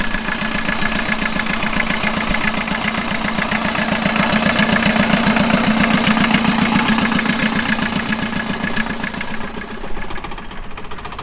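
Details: 1989 VW Jetta mk2 diesel, 5-speed, about 118,000 miles, revived after sitting about 14 years, on new fuel and a new battery: even diesel clatter at a steady idle with some revving, no misfires or heavy knock; running properly.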